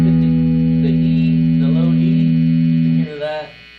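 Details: Pink Telecaster with noiseless pickups, amp master volume at 4: a loud steady mains hum and hiss under the note that drops away when the note cuts off, before the bridge is grounded to the tone/volume pot. Ground hum from an ungrounded bridge.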